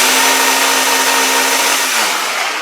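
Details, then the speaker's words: Craftsman belt sander, owned about 25 years, rear roller won't turn: motor whines, runs free, then its pitch sags and drops within half a second as it jams; suspected seizing armature bearing, not repairable. "It's been a good sander, but it's just not sounding right, and I think it's kind of seized up."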